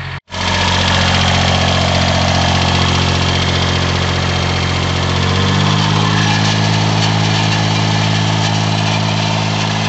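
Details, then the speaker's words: Kubota B1400 4WD compact diesel tractor idling to warm up engine and oil before restart: even, steady throaty clatter staying smooth with no knocks or misses; normal idle. "Là, si vous entendez le moteur, c'est parce que je fais chauffer en pendant que je parle le tracteur pour pouvoir le redémarrer sans problème après, et puis pour faire chauffer l'huile, etc. Pour tout faire chauffer."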